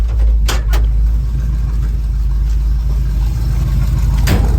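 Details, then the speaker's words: 350 small-block Chevy V8 after hydraulic flat-tappet valve adjustment, Magnaflow Super Turbo mufflers, Turbo automatic in gear against a curb: deep, even idle rumble, steady beat, no ticking or misses; normal idle. "let me get a little sound of the, uh, of the Turbo Max is when, uh, when it's in gear, uh, idling."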